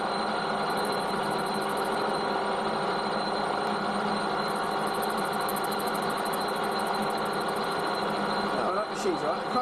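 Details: Lathe spun up to test-machine a chromed steel shock absorber rod: steady even hum with a constant light whine, no knocking or grinding; the spindle runs smoothly.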